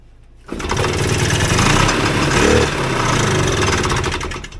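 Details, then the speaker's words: 1979 Polaris Gemini single-cylinder two-stroke snowmobile (Colt race sled build), swap-meet find with spark confirmed, compression unchecked: fires on the first pull with starting spray and buzzes about four seconds with rough crackle, running on spray. "Runs on spray. That was legit, the first pull with gas."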